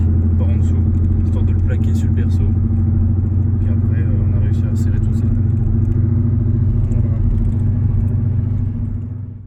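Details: 1993 BMW 318is E36 after engine mount replacement that cured a noise under acceleration: steady, even low drone with no thumps or knocks, the petrol engine running smoothly and healthy.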